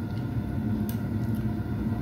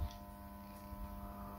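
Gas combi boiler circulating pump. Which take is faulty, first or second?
second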